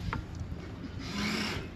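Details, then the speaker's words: 2025 Robalo 246 Cayman with the boat afloat: the electric trim tab actuators run with a short, steady motor hum over low hull and water rumble. They are used to balance an uneven load. Normal actuator operation. "That is the electric actuators being activated. And it's really more for balancing your load."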